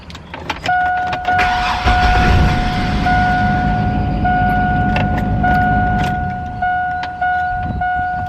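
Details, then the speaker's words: Chevy Astro van that would not start cranks quickly, catches and settles into steady idle with a faint background whir, after tightening a loose black battery terminal; battery possibly a little weak. "I think it's probably a little dead or something oh my gosh oh y'all don't know how good that sounds"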